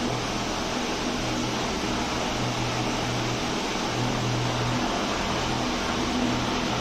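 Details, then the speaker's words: Small fan after repair, where a stuck bearing in an old fan had to be removed by machine: runs fast and steady with only even air rush and low hum, no khat-khat knocking, normal. "जैसा कि आपने video में देख लिया कि पंखा आवाज नहीं कर रहा है खटखट का जो थोड़ी बहुत भी साउंड आती है तो व जो छोटा वाला पंखा होता है काफी तेज चलता है इसलिए वह हवा की आवाज होती है"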